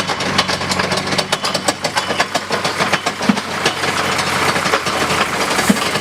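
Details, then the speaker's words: 1970 Jaguar E-type coupe started after sitting about four and a half years, idling in neutral: rhythmic knocking thumps a few times a second over the idle, identified as the drive shaft, not the engine. "i know what that is that's the driver shaft so it's not the engine making that noise fortunately it is in neutral"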